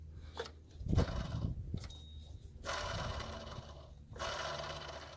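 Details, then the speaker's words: Mercedes CLA250/GLA250 (W205 belt drive), serpentine belt removed, pulley spun by hand: rough, gritty scraping surges from a shot water pump bearing; pump sits under the turbo, a big job. "bearing is shot sounds awful well that sucks water pump is a huge job on this thing tucks up all the way under this turbo and yeah that's a disaster"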